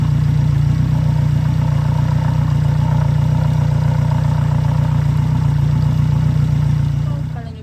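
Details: 2014 Yamaha F115 outboard, 1024 hours, started on grass right after a timing belt replacement: steady, even low idle with a smooth, quick beat and no knocks or misses, a mower droning in the background; normal idle.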